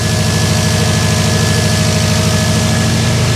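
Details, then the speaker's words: Freshly assembled Subaru WRX 2.5 turbo flat-four on first start after oil priming: even, steady idle with no misses, knocks or ticks; oil pressure light off, no leaks around the turbo. "Oh boy, let's try her. Oh, it sounds good. Oil pressure light went off. I don't see any leaks around the turbo. Oh man, it sounds great."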